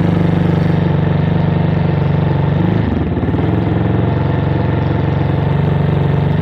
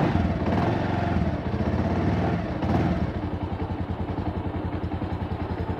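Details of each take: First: Motorcycle with 2400 km, stored two months at dealership without fuel: single-cylinder idles fine but held just off idle wavers with irregular pops; main jet and atomizer suspected clogged, carburetor to be removed and checked. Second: Bajaj Avenger Cruise 220 with 2,400 km, which sat two months without fuel: after a few revs it settles into an even, steady idle with no misses. The main jet and atomizer are suspected clogged, causing uneven running under acceleration.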